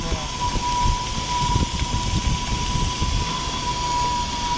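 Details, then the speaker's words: Quantum 4Front power wheelchair on a rough trail: steady high-pitched howl like a little cement mixer as the heavily loaded motors work; motors warm but not hot, battery at 85%; normal. "pro wheels two point 2.2 pull motors are uh more awesome definitely of course mine sound like little cement mixers"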